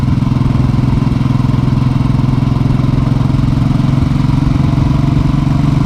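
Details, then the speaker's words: Motorcycle with dealer-replaced engine (plus starter, throttle body, fuel injector), hot after a short ride, idling: steady even low single-cylinder thump, no valve tick or knocking, quiet valves; normal hot idle after repair. "as you can hear nothing no have little choices whatsoever valve boys is quiet"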